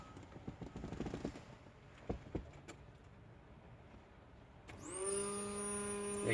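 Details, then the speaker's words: Nissan B13 Sentra turbo build, new 255LPH high-flow racing fuel pump just installed in tank, key on: steady electric hum with high whine holds even; new pump primes and works normally. "Alright guys, so it's working now."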